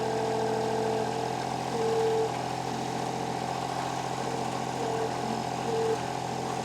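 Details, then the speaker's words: Estate-bought diesel machine with a new starter, idling after start-up: steady, even idle with a smooth, regular beat and no knocks or misses; the engine sounds healthy. "with that new starter in there thing fires right up so you can hear the fuel pump turn on there there"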